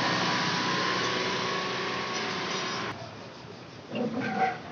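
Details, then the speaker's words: TVS Jupiter BS6 fuel-injected scooter before adjustment, RPM setting bolt beside the injector not yet loosened: fast, steady, busy idle that never settles, then drops away; idle speed set too high. "दोस्तों ये TVS Jupiter BS6 है, इसमें problem ये है कि गाड़ी का RPM बहुत ज़्यादा है।"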